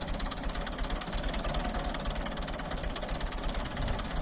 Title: Ford 3910 engine misfire.